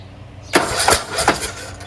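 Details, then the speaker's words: Craftsman T1600 lawn tractor, Briggs 19hp, first start after replacing blown cylinder head and head gasket; oil slightly smells of gas: cranks a few times, catches quickly, settles into a steady, even idle, no knocks or misses. "that's it that's idle sounds fantastic"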